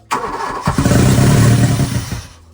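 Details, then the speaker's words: VW Mk2 Scirocco 16V with CIS fuel injection, sat for 20 years. The engine catches abruptly, runs rough and uneven for about two seconds, then fades; it only starts on starting fluid, and the owner suspects the CIS fuel distributor. "Once I sprayed some starting fluid into the intake, it started right up."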